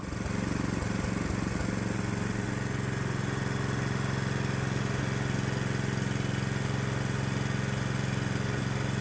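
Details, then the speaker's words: 212cc Predator single with homemade adjustable electronic ignition (GM LS coil pack, inductive sensor), timing advanced to 47° BTDC: fast-idle chugging, slightly uneven and harsh; rough running from over-advanced ignition. "So, it looks like we can go up to 47° before top dead center, which seems extreme. And you can hear the engine's not 100% happy with that much advance dialed in."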